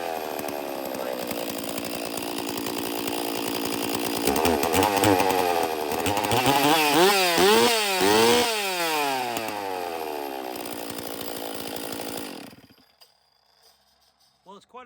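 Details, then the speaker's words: Stihl MS460 chainsaw with a dual-port muffler fitted and its lower bolts left out, cylinder condition in doubt: a harsh, raspy, very loud open two-stroke howl rising and falling with throttle blips. "I just want to hear what this muffler sounds like I mean I've already cut with this thing I'm sure it was already like that"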